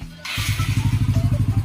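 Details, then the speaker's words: Yamaha Mio Sporty scooter after a top-end refresh (new piston, replacement for a sunken, leaking intake valve), first start-up test: soft, even, very quiet putter at idle with no tapping or clatter, then revs up; still needs light break-in; normal idle. "Okay, tahimik na tahimik. Tapos rangkada nga."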